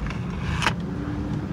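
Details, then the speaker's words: 2009 Honda Pilot, about 145,000 miles, after replacing the sway bar link that caused front-end creak and bonk: steady road rumble with one soft thump through a dip taken fast, no creak or knock; noise gone. "oh yeah yeah I'd say that sound is gone I don't know if you can hear it in the video I mean there was a little bit of a bonk but that's just because I hit that dip really hard normal sound"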